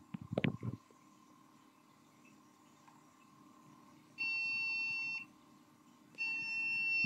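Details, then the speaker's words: Budget AMD PC powered on with a replacement power supply, no display: long one-second beeps, six in total, taken as indicating the BIOS battery, which is then replaced. "Bip sesi geliyor. Kaç kere bip geldiğini pek duyamadım. Evet arkadaşlar, baktım videoya geri alıp ve 6 kere bip sesi geldi."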